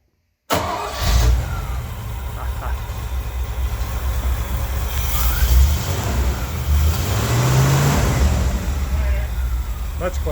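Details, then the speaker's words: 1955 Chevrolet Bel Air, revived after years sitting in a field, idling right after the exhaust was tightened to cure a slight leak: even low rumble with no puffing or ticking, and no noise up top. Exhaust sealed, no leak. "there's no noise up here at all it's totally quiet"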